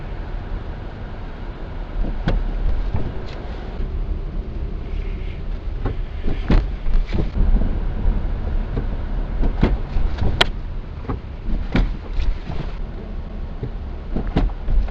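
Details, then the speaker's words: Lada Vesta SW Cross Comfort 1.6 with CVT, about 3,000 km in 11 weeks, driving over speed bumps: sharp irregular low clunks over road rumble; suspension knock persists, cause undetermined. "помните я вам говорил про стук подвески на некоторых лежачих полицейских дак вот они не совсем прошли"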